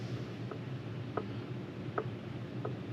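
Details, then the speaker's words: Ford Super Duty front Dana axle, regeared from 5.13 to 4.10: light metallic clicks as the ring gear is rocked against a locked pinion, normal backlash of about 0.009 in (spec 0.005–0.008), accepted. "you guys can hear that clicking back and forth that's basically the backlash in the gear so I'm happy with that on the front end"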